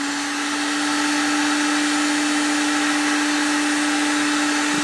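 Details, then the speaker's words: Pecron E1500LFP power station, drawing about 1,300 W while still charging, acting as a full UPS: steady even motor hum at constant pitch, faint airy rush, change heard as it switches over to power; normal motor running under load. "1,400 wats on here you can hear the motor change when it when it switches over to power yeah UPS got a light here so this will operate as a full UPS"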